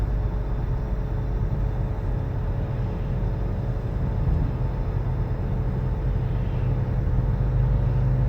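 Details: 2013 Nissan Altima while driving: a steady low humming drone under road noise whose pitch changes with speed. The owner was told it wasn't a wheel bearing, but months later it was confirmed to be a worn wheel bearing.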